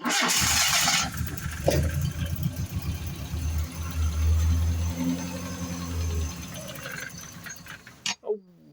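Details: Mazda 626 GD engine after fuel pump repair: short crank, then catches and settles into a steady low idle without misfire or stumbling; starts and runs normally with the repaired pump.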